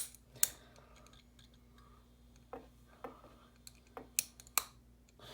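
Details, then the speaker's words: ProLight reflector PL adapter with a 13 W 2-pin preheat PL-C bulb and an argon glow starter: faint steady ballast hum and sharp irregular starter clicks before the lamp strikes. Normal preheat fluorescent startup. "very neat effect on camera and very nice preheat action and also you can hear the ballast just humming away"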